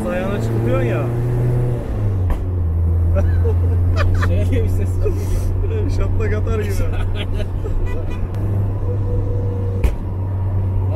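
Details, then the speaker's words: Lada 2104 with BMW 318 M44 engine swap on Ecumaster ECU, during tuning in 3rd gear: rough running with sharp loud bangs when throttle is blipped and released; exhaust backfire popping on lift-off. "Lan bu şey gibi, gülle gibi atar."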